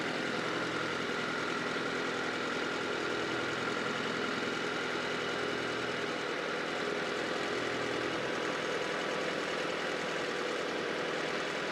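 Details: Honda CR-V (RD1) after replacing a burst small upper HVAC heater hose and refilling with water: steady, even idle, soft constant hum, no knocking or misses; owner checking for head-gasket bubbling, coolant being drawn in.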